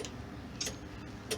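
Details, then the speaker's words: 1994-2004 Ford Mustang convertible top: two crisp relay clicks about a fifth of a second apart over a low idle hum as the top switch is pressed; relays working normally, owner suspects the motor instead. "so you can hear the relays click so right now the right now the relays are engaged"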